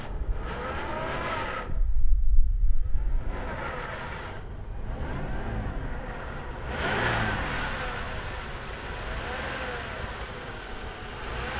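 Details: 2002 Pontiac Bonneville 3.8 with hood open: a thin whine over the engine rises and falls with revs, heard from the passenger side; the serpentine belt, alternator, tensioner and power steering pump were already changed.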